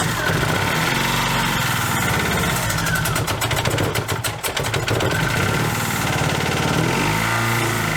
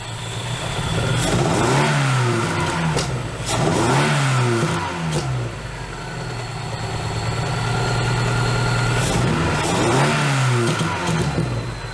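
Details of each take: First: Dodge Neon ACR brought back running after almost two years: engine runs rough and lopsided, its beat stumbling unevenly; one cylinder not firing, number two found off, with MAP and knock sensors unplugged. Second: Dodge Neon ACR after replacing a leaking fuel injector (rail had no pressure): quick revs drop back cleanly to an even, steady idle with no stumble; misfire gone, sounds normal.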